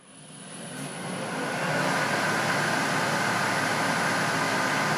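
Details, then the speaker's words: Jet-16 milling machine after machining the out-of-balance spindle pulley and others: motor spins up then settles to an even, steady hum with no knocks or slapping, about 1100 rising to 1500 RPM flat out; runs smooth. "so flat out she's running about, 1500 RPM it's pretty damn smooth"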